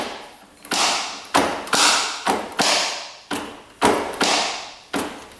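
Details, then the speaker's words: 1996 Kawasaki KX250 two-stroke that shut off while riding, engine turned over by hand in fifth gear: hard tap and thud roughly every revolution with a scraping tail, sounding like rod or piston knocking the cylinder. "Huh. Almost sounds like the rod is knocking the cylinder. Almost like the pistons out of it is what it sounds like, but I know it's not."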